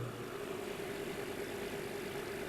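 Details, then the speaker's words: Markel fan-forced heater after the blower motor was cleaned and oiled with paraffin-base non-gumming oil: even, steady whir with a constant hum, strong airflow, slightly quieter than the night before; normal fan operation. "fan is still doing oh you have plenty of air movement in fact it sounds a little bit quieter than it did last night so maybe the oil like set in or whatever"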